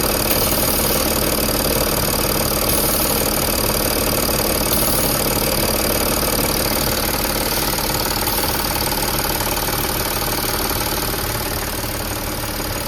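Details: Audi A8 D5 diesel at steady idle with a rapid, even pulsing tick about four per second, felt through the high-pressure pump feed line after swapping the intake manifold/flap unit ruled it out; faulty high-pressure fuel pump.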